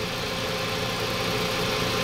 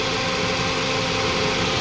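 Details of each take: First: Toyota Vios 2NZ after the brittle, half-seated PCV valve hose was heated and refitted firmly onto the intake manifold: steady, even idle with no stumble or hunting; leak fixed, normal idle. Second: Toyota Vios 2NZ idling with brittle, leaking PCV valve hose at the intake manifold refitted during testing: uneven, lumpy idle with hissing air noise over it; vacuum leak that worsens idle, smoother when hose removed.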